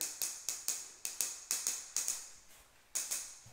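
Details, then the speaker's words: Tap test on a floor tile laid the day before: sharp, bright taps die away quickly with no hollow ring, sounding like hitting the concrete, so the thinset has bonded and the tile is solidly stuck. "I mean, that's what it should sound like. It should sound like you're hitting the concrete."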